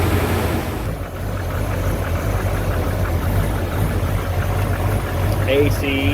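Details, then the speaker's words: 1972 Chevy C20 Longhorn pickup with its original rebuilt V8, which never had power: a steady idle with a hard, diesel-like clatter. The cause was never found despite years of diagnosis. "it was shortly after that the bane of my existence the motor sounded like a diesel"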